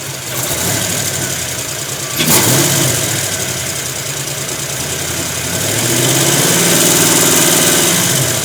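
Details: 1991 Ford Mustang: uneven, loping idle stumbling about twice per second, then an unsteady rev; engine misfire.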